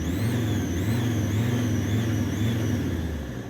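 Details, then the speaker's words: Alfa Romeo 166 diesel revved with the bonnet down: a thin, wavering squeal rising and dipping with revs over the engine drone, from a broken exhaust manifold seal; intermittent. "basically it has a broken exhaust manifold seal and so it squeaks like um bastard basically not all the time"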